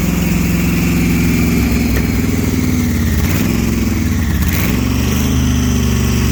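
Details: Supercharged big-block 1968 Plymouth Barracuda, warm at about 170°F on its first start: loud V8 running rough and uneven, beat stumbling as revs change, misfiring; headers glowed red, head gaskets found fried.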